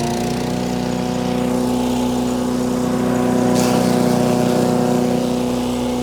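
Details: Wood chipper chipping branches after a broken ear was welded back on; strong, steady engine drone that swells slightly as branches feed in, then holds speed without bogging. Normal running under load.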